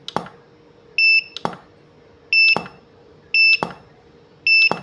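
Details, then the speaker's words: Godox SK-series (SK300/SK400II) studio flash, no E3, at full 1/1 power: four sharp pops about every 1.2 s, each followed by a brief two-tone ready beep; it fires and recycles normally. "mantap sekali teman-teman ya, tembakannya panasnya berasa, suaranya cukup mengerikan gitu ya."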